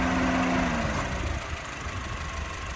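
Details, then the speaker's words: 2008 Honda Civic 1.8 i-VTEC manual, 100,000 km, original never-opened engine: smooth, even low idle with a steady hum and no knocks, ticks or misses. Normal idle. "มีเสียงเครื่องนี้เพราะเลยนะครับเดินดีนิ่งเงียบครับ"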